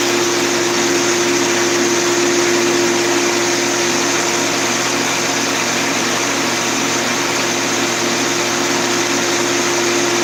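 A constant mid-pitched hum with a rough, gritty hiss over the motor as it spins steadily; those bearings are worn and need replacing.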